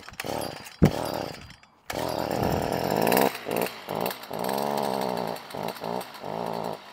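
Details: Stihl FS 55R string trimmer two-stroke revs up, then sags and surges and won't hold full throttle; bogging persisted after Amazon and Stihl carburetor swaps, caused by a carbon-clogged spark arrestor starving the exhaust.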